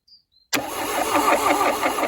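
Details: Original 1976/1977 VW Golf MK1 barn find, first start attempt after decades sitting, battery fitted, cranked directly since key doesn't respond: steady rhythmic cranking at about four to five beats a second; turns over freely but never fires.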